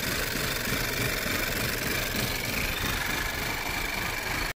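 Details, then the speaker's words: 2009 Audi A4 S-Line (B8) 1.8 turbo petrol, hard to start, just started: lumpy, rough, rattly idle over a hissy background; mechanic suspects incorrect cam timing. "I've just started the engine, literally, so as you can see, it's running lumpy, rough."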